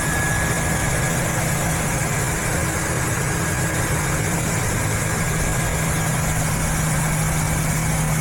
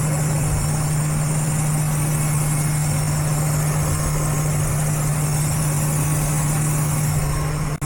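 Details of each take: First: Ford engine idling after repairing a torn breather hose that caused a vacuum leak, codes cleared: steady, even idle with smooth low hum and no hiss or hunting; fuel trims swung richer; normal idle, no vacuum leak. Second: Idling engine, short-term fuel trims both at 30%, hood open: steady idle hum with a constant airy hiss; vacuum leak found under the engine cover, trims normal after covering it.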